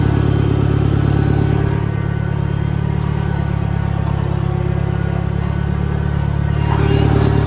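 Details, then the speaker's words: 1963 John Deere 1010 tractor, original and properly maintained, in reverse after third gear on a backyard lap; deep, steady drone with a mild gear hum, no grinding or knocking; normal gear transmission noise. "okay now third gear and you can just start to hear a little bit of transmission noise"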